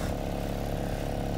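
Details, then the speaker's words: 2006 Ford Fiesta ST after exhaust back box repair and heat shield fix: a steady, even low burble at idle with no ticks, knocks or rattles; a healthy idle. "Nice and quiet in the cab. The boot is open, but it's quiet up front."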